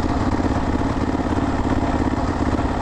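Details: Kawasaki KLR650 single that suddenly lost power on the highway, limping to a gas station: low uneven chugging at three or four pulses a second, not picking up; bogging and won't rev, cause unconfirmed.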